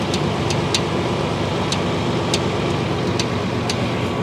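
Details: 1992 Chevy 1500 pickup at idle, with a complaint of metal flapping underneath while driving: sharp irregular metallic ticks and rattles near the bellhousing. Cracked flywheel bolts are suspected but not seen; the transmission is to be removed.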